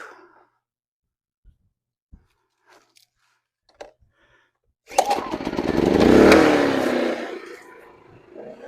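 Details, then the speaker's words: WEN 2000W inverter generator after draining old gas and cleaning the clogged carburetor, started with choke outside in eco mode: clicks, then catches, surges briefly and settles into a smooth, even run. "Running in economy mode right now. And let it warm up, and then I'll plug stuff in it."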